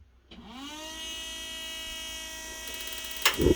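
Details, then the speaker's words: Off-grid cabin gas water heater test run: whirring tone climbs and settles to a hum, then sharp clicks as it relights after losing flame; suspected water regulator issue, gas regulator set to max, not confirmed. "There it is. Oh, we lost it. Yeah, I did fire. Try it again."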